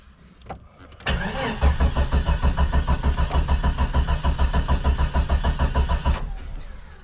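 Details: Jeep Cherokee XJ not run in four or five years: steady, even cranking about three turns a second for five seconds, never firing; cranks but won't start, volt gauge not working, oil pressure present.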